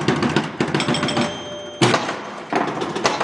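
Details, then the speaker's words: 1973 Gottlieb Jumpin Jack EM pinball after fixing a reset problem at a rivet: fast machine-gun-like clicking bursts as the stepper scans the drop targets about 10 times at ball loss, working properly. "that's that stepper scanning the drop target so if i put down these four and then when i lose the ball you'll hear it scan through that 10 times"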